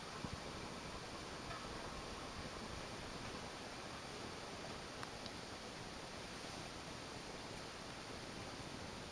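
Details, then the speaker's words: Early-1980s 4 Seasons 36-inch ceiling fan, Taiwan-made, four curved metal blades, original five-speed wall control, at slowest speed (est. 120 rpm): soft even airy hush, no rubbing or ticking, much quieter; normal low-speed running. "I've never seen these the 36 inch version spinning like really really slowly like a much slower speed it was always that speed you see there as you can hear it's much much quieter"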